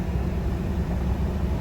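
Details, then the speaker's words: 2015 Ford F-150 after replacing bank 1 sensor 1 O2 sensor, following P0130 code, rough idle and misfires on cylinders 3–6: steady, even low rumble while driving, no stumble, miss or knock; no check engine light. "all right so I've been driving the truck around for a while and no check engine light guys that fixed it"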